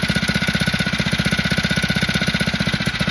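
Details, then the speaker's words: Warm Phatmoto two-stroke engine idling with the choke about 1/8 open: a quick, even popping beat holding steady with no hunting up or down. Normal idle. "now this time I am getting a nice and smooth Salon the engine he not searching dropping going higher nothing as you can hear"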